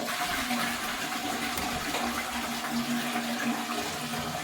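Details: Toilet cistern refilling: rushing water with steady humming whistle, typical of a worn ball float fill valve; fix is replacing it with a new fill valve.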